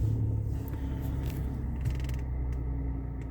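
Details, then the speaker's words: Three-cylinder chain-driven engine on an auction car at 89,440 miles, sold with a poor mechanical report: steady low idle, even rumble, no knocks, ticks or squeals, sounds normal; earlier squeal suspected alternator belt or water pump. "that engine sounds absolutely fine guys it sounds like every c one I've ever had"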